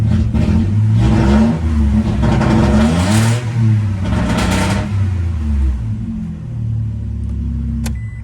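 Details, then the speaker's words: Toyota Alphard with a no-revs fault, after the throttle body was replaced and the ECU wire was temporarily fed battery positive: engine revs up and drops back cleanly on each throttle blip, loud raspy exhaust from a partly missing muffler, so throttle response is normal. "Газға реакция бар. В общем, істеп тұр."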